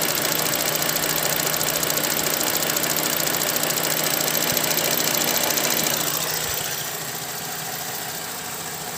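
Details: VZ Commodore at 137,000 km, drives well: steady light ticking about three per second over a smooth idle; owner told it's the evap solenoid but unsure whether it's lifters, cause unconfirmed.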